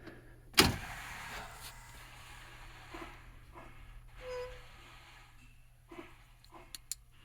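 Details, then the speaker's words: 2006 IC CE300 school bus, DT466e 7.6 L diesel, warm in shop, key-on before cranking: one sharp solenoid click then hums, injector buzz and ABS ticks as it primes; normal key-on priming. "so i'm going to turn the key off and cycle it again and you kind of listen for those noises like i mentioned you'll hear the loud click from the electrical panel which is solenoid you'll hear the injectors buzzing and then you'll hear the abs you know noises uh so that's what it should sound like when you're starting"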